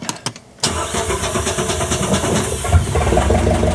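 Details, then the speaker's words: 1974 VIP tri-hull boat with a Mercruiser 3.0, fitted with a new Pertronix coil and distributor module after gummed-up fuel in the carburetor. A brief crank, then it fires first time into a steady, even idle. "Oh yeah. Right away. Awesome, okay."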